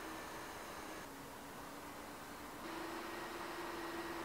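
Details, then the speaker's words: Ender 3 Pro 3D printer after the Noctua silent-fan upgrade, reading about 48 dB with adjustable fan voltage; soft even airy hiss and faint hum with no rattle; normal fan running. "looks like we're about 48 decibels the other nice thing about this is i can actually change the fan voltage of all my fans make them quieter or louder"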